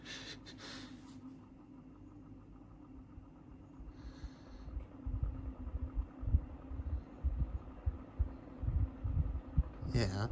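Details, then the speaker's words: Cheap plastic Brio stand fan, a few years old, that at first seemed seized: a quiet hum with uneven low thumps and flutter once spun up. The fan runs rough and wobbles. "that does not sound good at all. Listen to it. How is that thing working for after a few years?"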